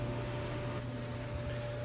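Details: Frigidaire GLER331AS2 dryer, old and noisy, final test after a general rehab kit including new felt drum seals: smooth, even motor hum with soft drum rumble, no squeal, scrape or thumping; running normally.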